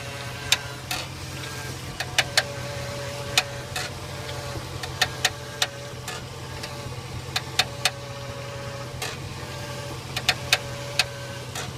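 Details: 2002 Jeep Grand Cherokee with a Rough Country X-Flex 4" lift kit, idling: sharp, irregular creaks and clicks, often in clusters, as the steering wheel is turned left. Cause unknown.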